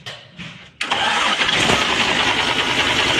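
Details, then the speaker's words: Isuzu (Global/Areon) diesel that cranked but wouldn't start, after injection pump calibration and overhaul: catches on the first try in under a second and settles into a steady, even idle; normal one-click start. "ayos Ayos na guys one click start"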